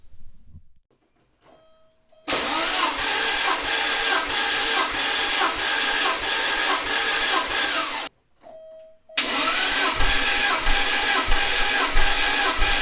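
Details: Porsche 944 naturally aspirated, after head gasket replacement, compression test cranking at wide open throttle: two runs of steady, even cranking, no stumbling; consistent compression, cylinders reading 140–145 psi.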